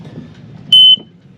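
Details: Catamaran engine panel just after a new engine wiring harness was fitted, first tests. Two sharp, steady high-pitched beeps about a quarter second each; the ignition-on alarm buzzer works normally.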